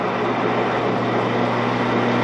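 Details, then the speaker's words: 16-inch Axelson lathe, gearbox running: smooth motor hum with even gear whir, no knocking or grinding. Gear noise improved; it is still suspected to need oil, and the spindle brake is not engaging. "All right, Maestro. The noise gears are better."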